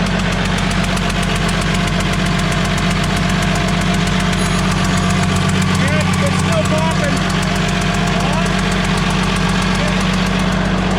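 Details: DT360 diesel with P7100 pump, after refitting injector with new crush washer: sharp regular tick-puff about four per second over idle clatter, still leaking; suspected silicone used to hold washers hardened before tightening.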